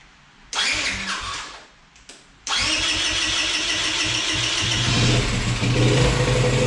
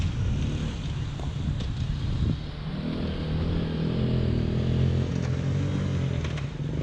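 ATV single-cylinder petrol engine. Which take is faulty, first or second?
first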